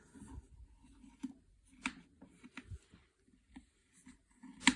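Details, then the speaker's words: Hozelock garden hose reel unwind/rewind mechanism simulated by hand: sharp, separate clicks about every second in a quiet room as the spring-loaded peg drops into raceway lever slots; ratchet working normally. "so we simulate the peg will go around here and you will hear it clicking like that"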